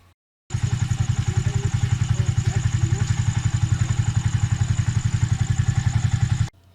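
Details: Rusi/Honda 125–250cc tricycle engine after starter motor repair: even thumping idle at about 220 beats a minute, steady and unbroken for six seconds, no misses or knocks; normal idle.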